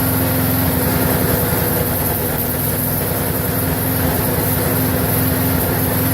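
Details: Briggs & Stratton 4.75hp mower engine, possibly Craftsman, previously wouldn't run and reportedly died 10 minutes after earlier fix, now run-tested; constant even drone at fixed speed, no surging or misses; normal running.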